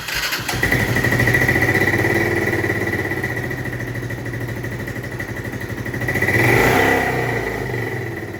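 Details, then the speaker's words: 1996 Honda FourTrax 300EX ATV with airbox tube and aftermarket air lid now fitted: the single starts and runs rough and uneven, then surges up on throttle; can't settle into a steady idle, so the carb is coming off. "So, it looks like we're going to go ahead and have to pull that carb off."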